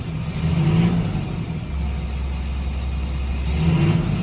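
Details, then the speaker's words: 2007 GMC C6500 Kodiak service truck, 127,009 miles: deep even rumble rising cleanly on two throttle blips and settling back, no knocks or misses; slight interior rattles at idle fade with some gas. Normal engine revving. "But once you give it a little gas, it kind of goes away. Interior rattles, I mean. But engine sounds great."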